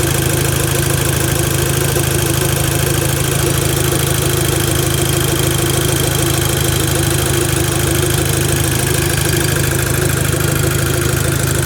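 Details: VW Golf Mk5 GTI at idle: steady engine with a fast, fairly even ticking pulse over the hum; owner asks if normal, unusual noise with source not identified.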